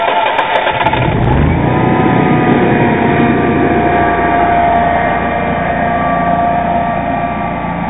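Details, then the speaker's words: Generac Guardian 16 kW natural gas standby generator, first manual start after install: brief cranking catches into a strong, steady drone with no surging or knocking, measured at 74 dB from 20 ft; normal start and run. "and there we go I actually verified the uh sound level at 20 ft which is their recommended distance to be uh 74 DB"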